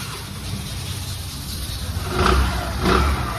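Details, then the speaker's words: Suzuki Access BS6 scooter after a new crankshaft replaced the old one, whose bearing was noisy: it idles steady and two quick blips rise and fall cleanly with no knock, rattle or bearing rumble. "लगा अब ये new crank है। इसमें कोई भी sound नहीं है।"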